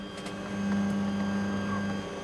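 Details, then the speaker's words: New Bambu 3D printer Z-axis moving before printing: soft steady low hum, no grinding or clicking, not much noise and unheard once printing — normal Z-axis movement noise. "the Z, which isn't really that much. And once it's printing, you don't hear that because it goes in real little tinies, right?"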